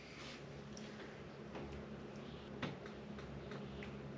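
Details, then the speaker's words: GeoPro RV fridge switching to propane after air was purged from the gas line: sharp, light igniter ticks a few times a second until the burner lights. This is normal ignition. "it's checking trying to ignite the propane and now you hear the ignitor's gone off because it's burning now and it's actually cooling the fridge with propane"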